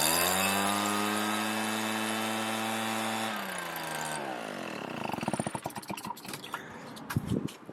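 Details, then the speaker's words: RedMax EBZ7500 two-stroke backpack blower with an aftermarket carburetor and a smaller kit fuel filter: strong, steady drone for about three seconds, then winds down cleanly. It now runs instead of dying. "this is the fuel filter and i replaced it with the one that came in a kit significantly smaller but now it runs"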